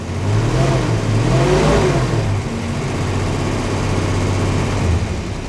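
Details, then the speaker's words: Dodge Dart Swinger 225 Slant Six, revived survivor: quick clean blips falling back to steady idle, no bearing knock or loose rattle; oil leak and hard oil light at idle, mechanical gauge check planned. "It's not making any bearing noises. Nothing sounds loose. I mean, the motor sounds really good."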